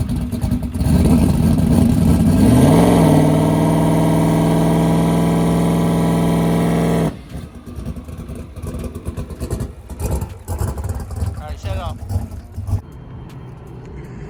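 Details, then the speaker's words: Ford Coyote with a 107mm turbo and a newly installed lock-up converter, fuel added after running lean: revs to about 3,000 rpm and holds a steady drone with no rising turbo whistle; not spooling, wastegates not leaking, tune or converter not loose enough suspected. "it was a little bit lean there so I added a little bit of fuel let's see if it uh spools up a little bit better now I made it like 3,000 RPM"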